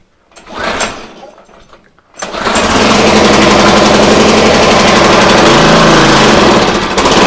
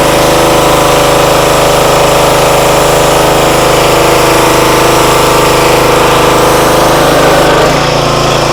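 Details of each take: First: Free used pressure washer engine: brief sputtering start, then rough uneven buzzing run at full choke, stalling when the choke is turned off; runs only on choke due to dirt in the carburetor bowl and jet starving fuel. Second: Free used pressure washer that reportedly only runs on choke, started at full throttle on choke after bleeding air from the pump: steady even drone driving the pump, no surging or hunting; motor and pump seem fine.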